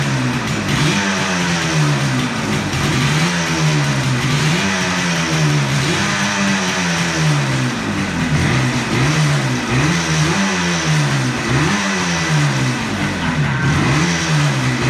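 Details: 1976 Yamaha RD400 two-stroke, first run after 5 years stored: crisp ringing revs rising and dropping back in repeated blips, with clean, even pickup and no misfire or stumble; runs healthy.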